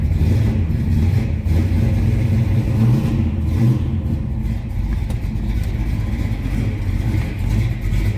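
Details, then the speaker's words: 1970 Dodge Dart Swinger 360 V8, Edelbrock intake, automatic, warming up after cold start: deep, uneven loping idle with a throaty rev, the beat of a mild cam; healthy. "let it warm up here a little bit that was a cold start sounds like it's got a nice little cam in it"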